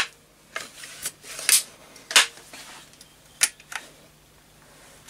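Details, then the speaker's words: Setra pump-up air rifle after repair and reassembly with the pump seal refitted and silicone grease on the O-rings: crisp, separate pump clacks and sharp firing snaps, no hiss of leaking air; no longer retains pressure, problem cured. "and that sounds really good and it's working excellently and not keeping any pressure inside so I think I've cured the problem"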